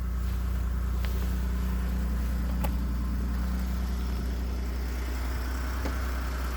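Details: 2018 Ford F-150 with 2nd-gen 3.5 EcoBoost V6, 29K miles, at idle; steady low rumble with a faint, uneven tick-rattle about three per second, knock or rattle of unknown source (owner calls startup rattle common, cam phaser mentioned).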